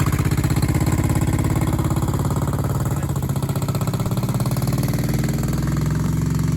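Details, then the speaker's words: 1970s Honda 350 barn-find motorcycle that sat for decades and was revived: a steady, even, low putter at idle with a smooth regular beat and no knocks or misses. The clutch feels slightly slippy into second, possibly from rust. Normal idle. "Yeah, it runs good. That's a nice bike, not really."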